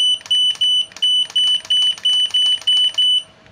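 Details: Godox AD300 Pro flash after repair of a destroyed board with a custom-built module, powered by a supply instead of battery, fired by trigger: ten sharp even beeps about a third of a second apart; normal flash firing.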